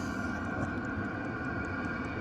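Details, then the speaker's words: Vevor 8 kW diesel air heater in a van after a complete teardown and cleaning to cure smoking: steady, even jet-like roar with constant combustion hiss and blower hum, no surging or popping, no smoke; burning cleanly, normal running. "I don't see any smoke at all coming out of there. And it's rip roaring. It sounds like a jet engine."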